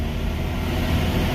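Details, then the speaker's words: 2005 Subaru Legacy, brought in because it would not shift out of first gear, road-tested with the upstream O2 sensor (before the catalytic converter) removed: a deep, loud, raw exhaust roar blasting out of the open sensor port. Power returned, which points to a restricted exhaust rather than a transmission fault. "And you can just hear that exhaust just blasting out that O2 sensor hole."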